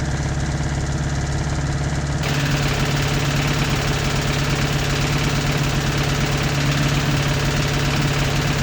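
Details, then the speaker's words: 1986 Toyota MR2 AW11 engine from a salvage-yard parts car, idling after the last vacuum leak was fixed; uneven knocking about three a second over a steady low drone, running rough. Owner says it sounds like rod knock, not confirmed. "Except it doesn't sound like I want it. Yeah, pretty much always happens when you do this. Sounds like rod knot."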